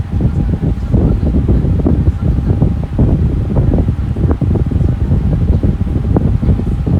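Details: Lasko Air King high velocity fan, a discontinued series: steady rushing roar with air buffeting the microphone and a faint constant tone, running evenly and healthy.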